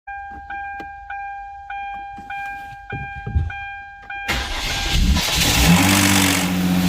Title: Hyundai Genesis 3.8L Rattle Sound in First Start up #mechanic #automotive #engineswap